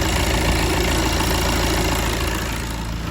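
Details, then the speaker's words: 2015 VW Golf Mk7 2.0 TDI (CRBC) diesel after timing belt and water pump replacement, checking belts from underneath: even idle with steady low rumble, no squeal, flap or knock; normal idle. "underneath as well. You see that's all running nicely."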